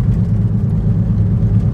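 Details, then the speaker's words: 2010 Toyota Prius at low speed after loose rear spoiler was fixed, tyres very recently replaced: deep steady droning rumble in cabin; driver suspects tyres, later believed a bad wheel bearing, unconfirmed. "So I really feel like that's the tires. And they just replaced the tires, like, very recently."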